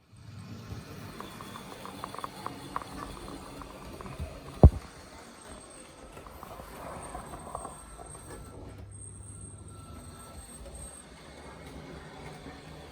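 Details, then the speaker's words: EFE Bulleid Booster model locomotive, only about 5–10 minutes of running, at 50% on a full circuit: rumble with a faint thin metallic squeak through the bends; owner thinks something needs oiling, cause not confirmed. "You can hear the squeaking when it's on bends. Almost sounds painful."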